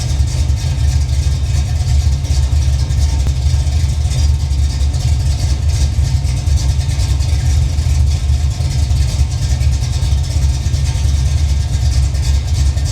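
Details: Holden VL Calais pro-street 308/304 V8, fired up with the viscous fan running and the battery charging: a deep, even rumble that holds steady with no misses, knocks or ticks. It is a healthy idle.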